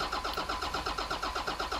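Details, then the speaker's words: 1991 Ford F350 with CAT 3126 diesel swap, new electric lift pump and filter head, cranking to bleed air from the head: steady starter cranking about seven beats a second without firing; starting to smoke, getting fuel, still working air out. "It's starting to smoke, so it's starting to get fuel. Just gotta work the air out of it."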